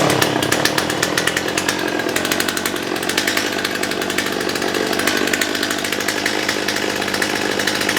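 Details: Stihl MS211 two-stroke chainsaw, hot start after fuel-system cleaning and before carburetor adjustment: revs up crisp and even, steady buzzing without stumbling or surging; rough running earlier attributed to dirty fuel system, now running properly.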